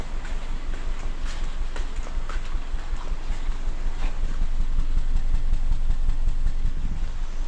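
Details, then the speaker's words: 2019 Hyundai Elantra 2.0 idling with the check-engine light coming and going and stalling when easing off the gas; lumpy idle with a regular thump. Misfire traced to a failed cylinder 3 ignition coil, replaced with a new one. "هذا مسفير ها"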